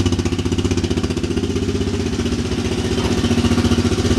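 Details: Big Bear ATV single-cylinder engine on first start after top-end rebuild (head honed by machine shop, new valve seals): even thumping about four beats a second, no misses, no smoke; healthy idle.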